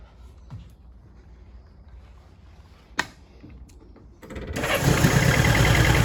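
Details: Honda S600 after wiring loom work, started in the dark to look for shorting: catches into a lumpy, uneven, stumbling idle, misfiring and not on all cylinders; owner suspects excess fuel pressure or ignition fault, number 1 distributor cap contact looks worst.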